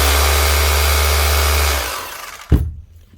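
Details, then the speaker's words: Brand-new Hikoki SDS drill after repair (a loose switch wire pushed fully back on): strong, steady motor whir at full speed, then trigger released and a clean wind-down. It runs normally again. "that's it simple as that on hi cookie up and running again"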